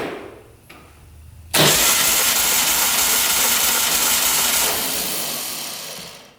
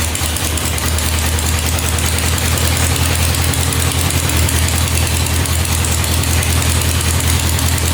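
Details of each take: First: 1967 Volkswagen dune buggy flat-four cranking on starter, compression test cylinder 1, six strokes: steady even cranking, no stumble; about 140 PSI, good (over 100 wanted). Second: Non-running 1967 Volkswagen dune buggy, first start in neutral after adding 2.5 quarts oil: lumpy loping wet idle, very smoky, gas or gas-oil mix coming out the exhaust; running rich, fuel flooding.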